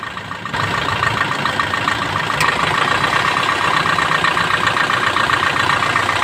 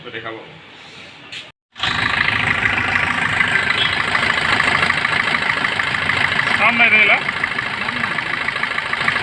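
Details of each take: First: Suzuki Swift engine; it catches and settles into a steady idle with only light, even ticking and no grinding or squeal from the pulley, sounding healthy. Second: Suzuki Swift engine started and idling: a steady high-pitched whirring hiss over the idle, typical of a dry, worn alternator pulley bearing.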